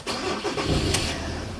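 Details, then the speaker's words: 2018 Ford Transit 250 diesel (3.2 Duratorq per description) that shuts off by itself: starter churns briefly, engine catches unevenly and labours; fuel pressure steadily dropping to about 600 PSI, no low-fuel-pressure codes, won't start unless warm; fuel-related issue suspected, possibly injection pump solenoid sticking. "the engine won't even start unless it's warm that's the thing you got to keep keep doing it until the engine starts getting warmer"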